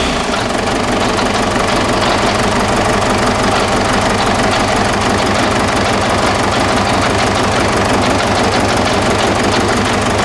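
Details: 2009–2010 Ford Ranger (Mazda BT-50) 3.0 L common-rail turbo diesel, started on external fuel spray: loud, uneven, stumbling idle with one cylinder dropping out; number 1 injector faulty; rail pressure about 38 MPa while running.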